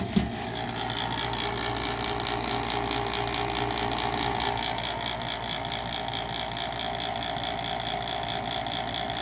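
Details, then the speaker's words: Roughly eight-year-old high-efficiency gas furnace: a loud, steady whir with a fast flutter of about four pulses a second from the exhaust inducer fan motor, which is noisy; the cause is not confirmed. "first about eight years old high-efficiency gas furnace the motor is making a lot of noise"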